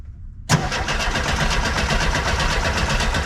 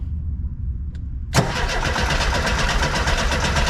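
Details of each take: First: 1976 VW bus that sat over 10 years, cranked by a jumper lead from the battery to the starter solenoid because the key won't work: strong, even cranking at about four compression pulses a second with no grinding or clicking. The starter is healthy, but it doesn't start. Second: 1976 VW bus that sat over ten years, cranked after carb cleaner was sprayed into the intake: long steady cranking for about ten seconds with no firing or catch at all. The owner suspects no spark; no spark seen.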